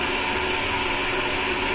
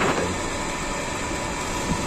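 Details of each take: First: Sanyo/Shimizu jet pump that wasn't delivering water, after adjusting the valve to stop cavitation: steady even hiss of water flow with smooth motor hum, no crackle or rattle; running cleanly under 20 PSI. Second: Sanyo/Shimizu jet pump with the outlet valve opened too far: rough, gravelly, snoring-like rushing over the pump hum. This is cavitation, and the fix is to close the valve a little.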